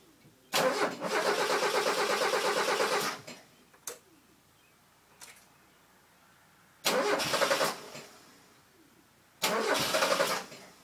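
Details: Mazda 323 GTX after TDC/timing work: three stretches of steady starter cranking, one long then two short, engine never catches; cranks but won't start.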